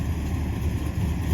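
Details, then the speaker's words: 1976 Dodge Dart 340 V8: steady even low burble at idle with no ticks, knocks or misses; back to its old happy self; normal idle. "yeah it's back to its old happy self only more legal and with more stereo"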